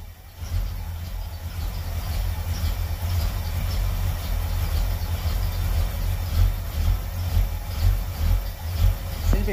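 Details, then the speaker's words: 1977 Chevy Camaro V8 at idle; deep uneven loping pulse rising and dipping about twice a second; owner suspects an aftermarket cam, no oil gauge so oil pressure unknown. "this thing's got a cam in it for sure let me take it back here you hear it i don't know if you hear that but it's very lopey like it's got a cam in there"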